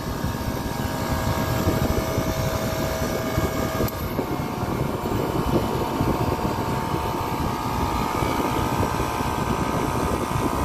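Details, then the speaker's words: Copeland digital scroll compressor in a Liebert precision-cooling unit: a steady rushing hum, and a faint tone cuts out about four seconds in as it unloads. The noise sounds alarming but is normal solenoid cycling; the compressor is fine. "so compressor is fine it's just it's a digital scroll compressor and that's how it works"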